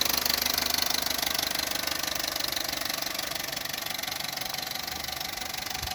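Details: Opel Corsa D 1.2 Z12XEP at hot idle, with noise only when fully warm and a near-silent engine when cold: fast, light metallic rattle about three per second, typical of stretched timing chain clatter.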